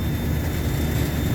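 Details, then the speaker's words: HVAC compressor, locked-rotor around 19 A with proper voltage: heavy low droning hum with an uneven, labouring pulse as if losing voltage; internal failure, broken valve reed and piston damage from liquid slugging after skipped maintenance. "I don't know what's coming through on the phone but it's interesting because it pumps it just sounds like the motors like it sounds like it's losing voltage"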